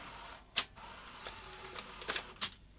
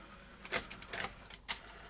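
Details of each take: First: Sony Betamax SL-T30ME front-loading VCR, trying to eject or load: thin motor whir broken by clicks and clunks as the loading and lacing mechanism strains and stalls throughout the cycle; slipping loading clutch, lack of torque. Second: Sony Betamax SL-T30ME after re-timing the lacing mechanism against a good deck: light scattered clicks and soft whirring as the tape loads and laces, no grinding or strain; loading and eject work normally.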